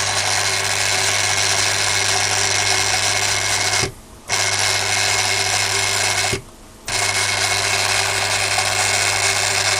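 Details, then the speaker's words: Refurbished and upgraded Daiwa DR-7500/DC-7001a antenna rotator (Kempro KR400 internals) turning through its range. Loud, steady, buzzy motor whine with gear chatter and two short pauses; normal for these noisy motors and gears. "These motors have always been a bit on the noisy side, and the gears are set up in these things, so it is what it is."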